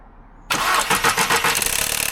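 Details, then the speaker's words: 162,000-mile VW Golf 1.2 TSI at startup: engine catches into a fast metallic rattle over idle; timing chain failure suspected, not confirmed. "This is a 162,000mi VW Golf and it's rattling badly. If the timing chain's gone, a garage repair could be close to £1,000."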